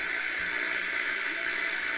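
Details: HF shortwave radio on a vertical antenna in the afternoon, S-meter almost pegged by noise: steady hiss and crackle, no station audible; very poor reception, possibly from dry weather and atmospheric static.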